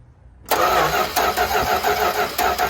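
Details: 1972 Dodge W200 Power Wagon being revived after sitting for years, spark just confirmed healthy: starter bites and spins the engine evenly with regular compression pulses, no grinding or catching; normal healthy cranking before feeding it premix fuel.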